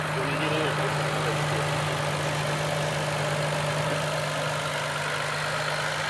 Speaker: it's purring 176,000 [Applause] mil [Applause] okay oh yeah just a little movement it's fine that runs good yeah I should do that to M sounds great